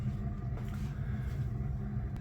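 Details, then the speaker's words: Newly installed 50-gallon A.O. Smith gas water heater, first firing; flame shifted briefly as air purged from the line, no leaks. Steady, even low burner roar with no surging, popping or sputter; heating normally. "It is getting some air out of the line, which is why you saw the flame kind of change, but it is heating. Happy days."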